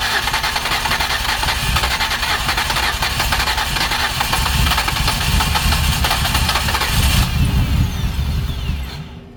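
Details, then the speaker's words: 2008 Ford Escape with previous repairs, just started after a crank-no-start: uneven stumbling idle with misfire-like stutters, then dying away, smoking; blown head gasket pressurizing the cooling system. "so I hope everyone can hear we are running but it does not sound good"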